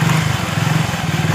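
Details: Motorcycle chain after fixing a cricket-like chain noise by flipping the chain and refitting the lock: steady, even idle thump with no chirp or rattle from the chain. Normal chain drive at idle.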